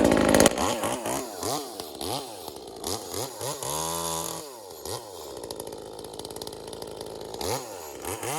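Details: V-Modest 2511 top-handle chainsaw (Echo 2511 clone) revs through cuts at full throttle with a burbling, uneven note. It is four-stroking a little from a rich high-speed jet setting.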